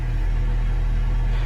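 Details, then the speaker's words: 2007 Honda Civic 1.8L four-cylinder with crank-no-start and no fuel pressure: engine now running with steady even hum, no misses; 13.2 volts measured, power probe LED not lighting. "well it's sufficient voltage the engine is running now but it's not lighting up our little led on the power probe"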